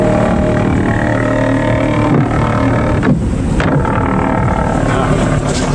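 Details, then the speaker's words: Bayliner Bowrider 175 with MerCruiser engine on a lake run after a new ignition control module fixed timing that would not retard on acceleration and caused pinging. Strong, even drone pulls through acceleration with no pinging or rattle. A few timing tweaks remain. "The boat run's good. Have a few tweaks I have to do on the timing, but other than that, alleviated the pinion issue, which is I'm scared to death of pinion because I really don't like holes in the piston."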